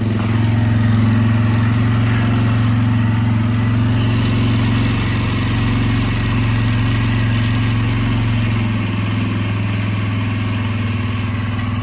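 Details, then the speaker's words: Polaris four-wheeler after engine rebuild and new main jet, not yet warmed up: steady, even low rumble with a smooth unbroken beat and no misses; idle a touch high, owner plans to turn it down; normal idle. "I don't want to mess with that too much till it's actually warmed up. Sounds good."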